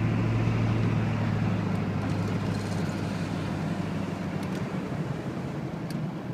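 Heavy low diesel drone with an uneven rapid patter, roughly four beats a second, running cold; loud noise, cause not pinned down.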